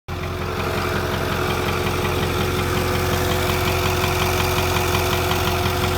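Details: 2008 6.4 diesel at idle, right after a water pump replacement: steady tone with rapid roughly regular tapping over the clatter; owner checked vacuum line connections, suspects a nicked line, cause unknown.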